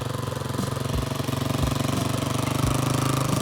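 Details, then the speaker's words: Free single-cylinder motorcycle after carb clean, main and pilot jets cleaned, new parts and oil change, first start: quick, even thumping at steady idle with no misses or stumbles; engine running cleanly. "We cleaned the pilot jet and then it fired up."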